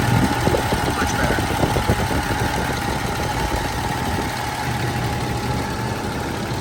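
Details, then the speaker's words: Toyota 80 Series Land Cruiser (FJ80) at steady idle after the whining fix: wheel being turned, only a faint thin tone left, no loud pump whine; power steering pump now sounds normal. "and if we actually move it around no more noise that's how you do it guys thanks for watching"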